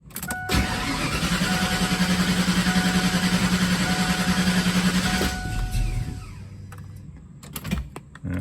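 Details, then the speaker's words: Foxbody Mustang that starts perfectly on the first start of the day but struggles afterward, with surging idle, miss and shake when it does run: the starter chugs the engine evenly for about four seconds without catching, then quits; hard start when warm, cause undiagnosed. "So guys, today we're gonna figure out why this car starts perfect for the first time, and then after that will not start, struggles to start. If you do get it to start, it has a bad idle and a miss and a shake and wants to die."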